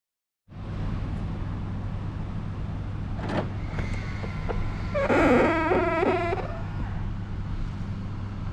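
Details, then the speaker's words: BMW power-folding side mirror: over a quiet idle, the mirror motor folds with a stuttering plastic-like screech for about a second, annoying rather than serious; squeaking mirror, taken to the service center to fix. "I have this screeching noise for my side mirror when folding nothing serious just annoying noise like plastic"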